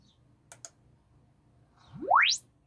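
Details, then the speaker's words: Spendor BC1 / Haycross HA3/8 speaker on original BC1 baffle, rising sine sweep test: rough buzzy edge in the lower mids, distortion from glued parts coming away and vibrating; to be glued back and retested. "Ooh, that's got distortion."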